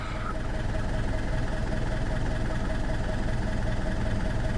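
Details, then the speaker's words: Alfa Romeo 159 1.9 JTDM diesel, first run after new turbo fitted: steady, even idle clatter with no knocks, misses or whistles; sounds healthy and quiet for a diesel. "quite happy with that nope that sounds pretty healthy generally sounds healthy"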